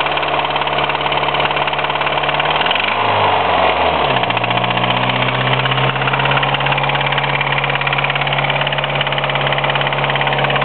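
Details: 1993 Mitsubishi Eclipse 4G63 engine at idle wavering then settling, with a loose uneven knock about three per second; owner suspects a spun rod bearing; engine knock at idle.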